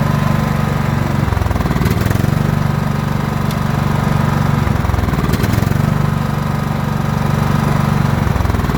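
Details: John Deere L110 lawn tractor's single-cylinder engine, revived after sitting three years with its carburetor removed, thumps at a steady speed with only slight, brief dips; it is running properly on fresh fuel.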